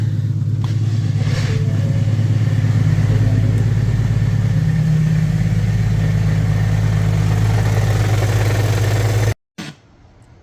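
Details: 2017 Ford Fusion 1.5L EcoBoost idling: rough rattling knock about three times a second from a cracked flexplate, before replacement with the subframe dropped.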